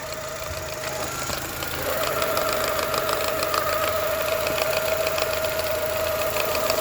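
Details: 2002 Mini Cooper R50 idling; the tone shifts as the clutch pedal is pressed, with a rough, irregular rattle and knock from the clutch area; gears, especially first, are very hard to engage with the engine running.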